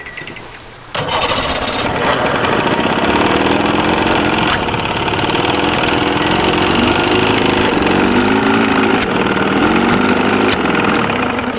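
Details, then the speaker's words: 63-year-old boat's motor running for the first time after restoration, water spitting out, temperature 136–142: it catches after a second and settles into a fast, busy idle that stays high instead of dropping. "Water spitting out. It seems like it's idling really high."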